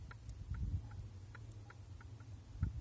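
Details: Toyota Prius III / Lexus CT200h steering: faint irregular dull taps as the steering shaft is rocked by hand, from play in the splined intermediate shaft with its rubber piece.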